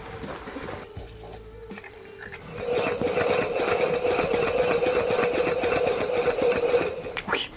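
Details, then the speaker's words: Yamaha X-Max 125 final drive 6205 C3 bearing, removed and spun by hand: steady mid-pitched whir with gritty ticking roughness; worn bearing confirmed as noise source, needs replacement. "c'est sûr c'est ça qui fait du bruit on va essayer de le nettoyer quand même"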